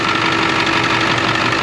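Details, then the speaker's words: 2001 International 4700 plow truck, 36,000 lb gross, hood open: steady, even diesel clatter at idle with no miss or uneven beat; sounds really good; normal diesel idle. "Sounds really good."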